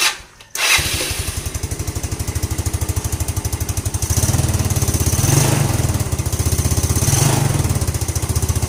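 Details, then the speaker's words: Scooter that was hard to start in the morning, after the faulty part was replaced and the head reassembled: catches after a short crank and settles into an even, steady idle with regular firing pulses and no knocks or misses; the replaced part was the main problem. "oke Guys motor sekarang nih sudah hidup jadi bermakna memang masalah yang aku tunjukkan Tari itu apa yang aku sudah ganti itulah permasalahan utama dia"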